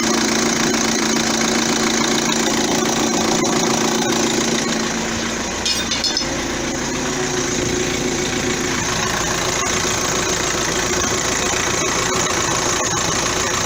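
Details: 2009 Vauxhall Astra diesel after alternator and auxiliary belt parts replaced to cure a belt squeak: even idle clatter holding steady, no squeal or chirp from the belt, front end healthy; normal idle.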